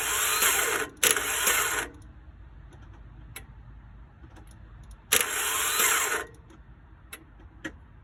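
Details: 2003 Toyota makes two cranking attempts of about a second each, with a high whine and no catch; the engine cranks but won't start.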